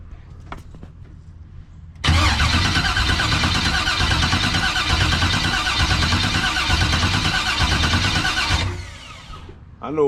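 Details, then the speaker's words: 1989 box Chevy with a no-start, with a newly fitted starter, an external fuel pressure regulator and the fuel leak fixed: strong, even cranking about three beats a second for six seconds; normal cranking but still not firing. "thing, that starter that I got on there now is doing a way better damn job than that first starter I had."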